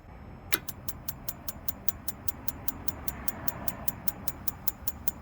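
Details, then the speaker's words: Atwood RV propane water heater: sharp, even igniter ticks about five a second with no burner roar, and propane can be heard. The igniter sparks but never lights the gas, and flames are later seen outside the burner; the electrode gap is wrong. "It is sparking back there, so I can hear the propane."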